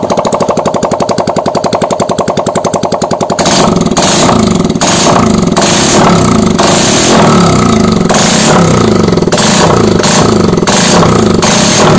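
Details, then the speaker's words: Honda Vario 125 LED scooter after piston and head replacement, idling with the exhaust/muffler removed: rapid, even popping, then a louder steady run with no stumble or knock; normal idle, no white smoke from the exhaust port. "Nah untuk di bagian xhost di bagian eksesnya ini sudah tidak mengeluarkan asap putih"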